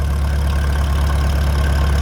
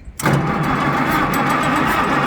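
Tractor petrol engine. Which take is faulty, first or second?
second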